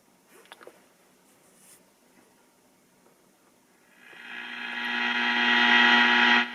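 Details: Philco 48-250 tube radio after recap, powered via isolation transformer and variac, outside cabinet: near silence, then hiss with low hum swells and holds after switch-on; untuned, picking up heavy static and interference.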